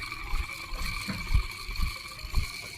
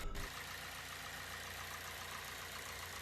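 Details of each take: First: Harsh, grating whine with a rough rumbling (呼噜) underneath at idle from the alternator; belt and tensioner were already replaced without fixing it. The alternator's internal bearings are worn, and replacing the bearing pair fixes it. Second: Car engine at idle after the alternator's worn internal bearings were replaced, curing a harsh squeal and rumbling; the belt and tensioner had already been changed without effect. Idle is now quiet and steady, with no squeal or rough hum.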